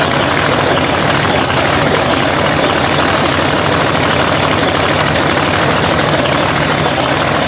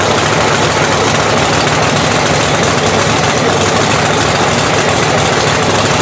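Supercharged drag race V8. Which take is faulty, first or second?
second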